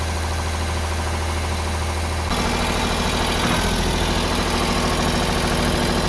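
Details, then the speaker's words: Ford 4600 tractor diesel, just after fitting a service-exchange injection pump: fast, steady clatter at about 1,300 rpm that won't drop to the roughly 800 rpm tick-over; a bit of wire left around the linkage was holding the throttle open. "About 1300 it's revving at. Well, we should be near a tick over, it should be about 800."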